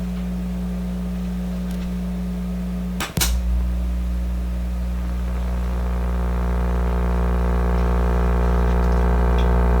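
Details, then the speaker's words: Sparton 1567 tube radio during a whole-system test of receiver, amplifier and speaker, microphone in front of the speaker: a steady low hum of unchanging pitch comes through the speaker; mains hum, source not yet traced. "There we go. Of course you can, and so you can hear the hum much stronger here. I've got another voice microphone I'm using, but you can hear the hum quite clearly, obviously."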